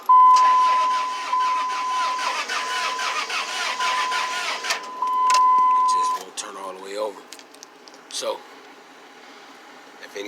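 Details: 2002 Dodge Ram 1500 4.7 no-start after long battery charging: starter spins engine in steady rapid chug about six seconds with door chime, never catches; no codes after battery disconnect, earlier codes said plugs getting nothing; owner suspects timing, unconfirmed.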